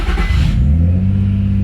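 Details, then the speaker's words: Nissan 350Z started right after fitting a new Y-pipe (rack spacers also installed): the engine catches and settles into a deep, steady, even idle with no ticking or puffing. It sounds much better, as it's supposed to; a normal idle. "Wow. That sounds so much better. That is way better. That's what this is supposed to sound like."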